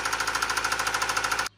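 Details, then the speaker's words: Subaru engine with loud, rapid metallic rod knock, about a dozen raps a second. It ran low on oil and the bearings are wearing metal to metal. "okay now I can talk again that is a rod knock that's an engine knock all right you're going to hear that sound in any engine when it has an engine knock"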